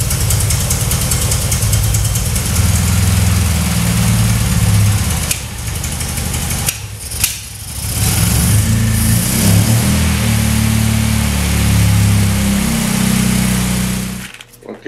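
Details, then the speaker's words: 1966 Triumph Spitfire MK2 at idle after carb adjustment: lumpy, uneven idle with an irregular beat about four times a second, still running very rough; misfire traced to swapped spark plug leads, missing on two cylinders. "it still runs very rough, and I decided to go ahead and rebuild the carbs."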